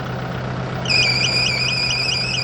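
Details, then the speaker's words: Kubota broom tractor during a pre-trip inspection: diesel idles steadily, then a high warbling squeal cuts in and pulses evenly; a bad pulley that keeps stopping drags the accessory belt. "You can hear now that it's going, it's got a belt or a pulley squealing. So, you can put that on clue."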